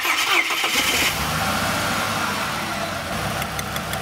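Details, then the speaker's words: Engine catches after a short crank and idles unevenly with a stumbling misfire; number one cylinder (front) is dead, with sound worsening as good plug leads are pulled; suspected bad new spark plug, coils to be swapped. "so it's this front one number one yeah you can hear it gets sadder when you remove the good ones"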